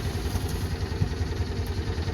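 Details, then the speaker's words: Small car at two-stroke car shop, spring startup after storage: starter cranks steadily with no catch while fuel pump seems to struggle; cranks but won't start. "sounds like the pump is still struggling until the valves on [Music] battery is amazingly strong come on"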